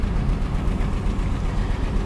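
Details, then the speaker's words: 1985 GMC Sierra V8 idling with an uneven, loping beat, a dead miss on cylinder number 6, before its first drive. "You can hear she's misfiring, and I already know she's misfiring on number 6."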